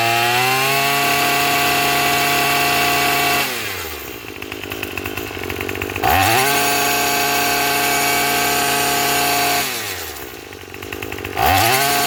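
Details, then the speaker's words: Craftsman 27 cc two-stroke string trimmer, manufactured January 2013, cutting: revs up and drops back cleanly every few seconds, no stumble or bog, some smoke noted; normal running under load. "sounds pretty good."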